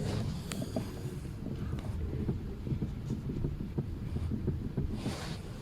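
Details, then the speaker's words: Lada Priora after tightening the steering rack adjuster about a quarter turn: in the cabin, low muffled rumble with faint light taps; the heavy knock under the steering wheel is gone, with slight play remaining. "то что тот был ужасный стук его уже нет"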